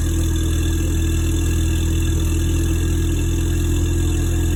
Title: Mustang ecoboost cylinder 4 misfire